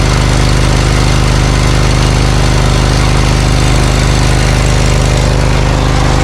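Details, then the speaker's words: Briggs & Stratton Vanguard 20 HP V-twin zero-turn mower, warm, idling with a low, uneven loping thump. The right exhaust reads only 124 degrees against 500 on the left, suggesting the right cylinder isn't firing. The cause is traced to a damaged coil wire. "Okay, so the tailpipe on the right has a temperature of 124, which isn't very warm. The tailpipe on the left was raising up in temperature. Last time I checked, it was 500 degrees. So I would immediately assume that the right side is trying to warm up, but there must be an issue with it."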